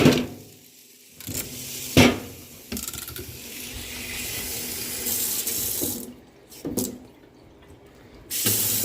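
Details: Faucet after Zurn cartridge replacement for cold-side water hammer: water runs in steady spells with handle clicks between, no rattle or shudder in the flow, and no hot-cold cross mixing; faucet working normally.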